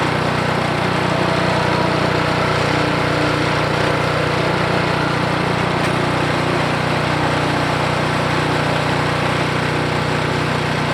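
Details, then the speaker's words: Ariens 28 Deluxe snow blower (921046), single-cylinder engine, running after sitting two years, on old oil, while warming up: steady, even idle with a smooth throb and no misses or knocks; normal idle. "but all right i'm going to let that warm up for a little bit and then run through his face and go from there"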